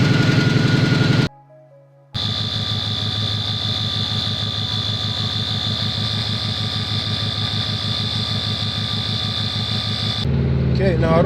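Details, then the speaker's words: Subaru petrol engine idling with a lumpy, uneven pulse, still misfiring badly; spark plugs now accessible. "hear that, but um the car is still misfiring quite badly."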